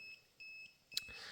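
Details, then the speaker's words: FarDriver ND72260 motor controller newly wired to a QSMotor 2000W hub motor, first power-on: short high beeps repeat about every half second, a 7-beep fault code because the controller doesn't detect the motor temperature sensor; to be fixed via the phone app. "Elikkä tämä nyt valittaa siitä, että ei tuossa moottorissa ole lämpötila-anturia nyt kytketty. Tai tämä ei tunnista sitä anturia ollenkaan, tämä VAR-driveri."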